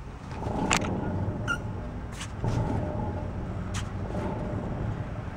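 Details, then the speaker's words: VW Bus: low steady rumble with faint droning hum while running, first thought a front wheel bearing; wheel has play, so owner suspects a bearing going inside the rear gear reduction box. "so I think a bearing is starting to go inside the wheel and if you actually grab the wheel I don't do one handed it's got a little bit of play in it which the type of bearing that's in there really shouldn't have"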